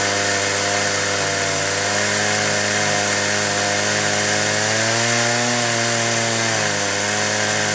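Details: Stihl chainsaw on an Alaskan mill with dual-pulley winch, ripping wide 3-inch oak slabs from a 28-inch log: screams at high revs, then pitch sags and recovers as the cut loads it and cranking varies; bogging under heavy load.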